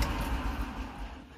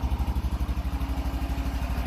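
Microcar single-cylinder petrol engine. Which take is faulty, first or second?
second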